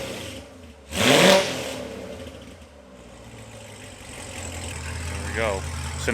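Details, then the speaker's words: C7 Corvette Z06 V8, first start after LG Motorsports long tube headers, high-flow cats, X-pipe, O2 sensors, new plugs and oil: loud blip, lumpy idle with raspy exhaust crackle, quick revs; healthy. "now the Corsa will clean up that kind of factory rasp. But I like it, you can hear the cams."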